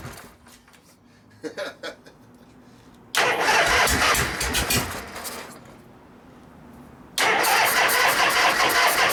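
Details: 1973 Harley-Davidson FX 74ci Shovelhead Super Glide after a frame swap: two long bursts of fast, even starter cranking with quiet gaps and no firing. Little fuel seems to be getting in; a stuck float or carburetor buildup is suspected.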